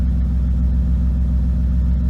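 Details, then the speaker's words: BMW E36 at idle: mostly steady low rumble with occasional stumbles, suggesting an intermittent misfire. The owner suspects the spark plugs but is not sure; OBD1 scanning is still needed. Cause suspected, not confirmed. "Yeah, it definitely sounds like a misfire of some sort."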